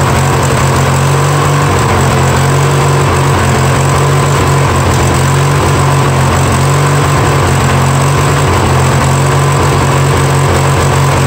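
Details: Free Yard Machines mower, 20 hp twin, first start after sitting; loud, uneven lumpy beat, won't idle down to smooth idle; no knocks heard, owner pretty sure it just needs carburetor work.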